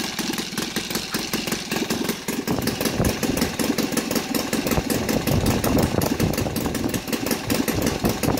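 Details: Saito FA270T four-stroke twin converted to gasoline (20:1 synthetic oil mix), CH ignition, TF 20x10 prop, idling at 1000-1100 rpm: low, fairly steady patter with crisp firing and no stumbling; normal idle.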